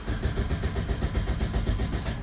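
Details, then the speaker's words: Toyota Corolla with newly installed anti-theft ignition kill switch, door open, ignition on with warning lights: starter churns steadily over two seconds but engine never catches, ignition cut by kill switch; crank no start. "As you can see, it didn't start."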